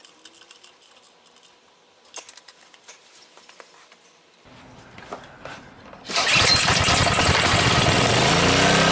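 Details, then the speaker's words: Honda GCV190 engine on a Simpson pressure washer that won't start: spark confirmed, several recoil pulls with no catch, then fires once brake cleaner is sprayed into the chamber; fuel starvation, suspected clogged carburetor from old gas. "just pull the recoil so we know it's getting spark it's probably not getting gas"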